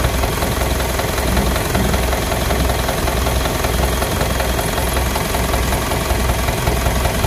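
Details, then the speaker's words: Engine with blow-by and oil boiling; steady rough idle with dull uneven chuffing pulse; cylinder three liner scored and piston rings stuck, honing suggested. "Ayan mga idol ah nakita na natin yung problema. So ayan sa cylinder number three gasgas yyung liner kung malamang sa alamang yan. Stock up iyung piston ring."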